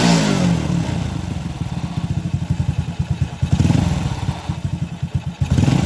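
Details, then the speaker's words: Honda Supra motorcycle single-cylinder engine idling after reassembly, dynamo removed: smooth steady thumping with no clatter or knock but a slight hum, attributed to a very tight timing chain and judged harmless; engine runs smoothly. "Oke, suaranya halus tapi ada suara dengungan. Oke, baiklah. Ini sudah sangat lancar."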